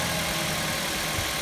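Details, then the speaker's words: 2008 Mazda 5 after valve cover replacement, bolts torqued and plugs reconnected: even, steady idle with constant airy hum and no shake, miss or knock; the slight vibration from before is gone; normal idle. "there's running better now before I had a slight vibration to it"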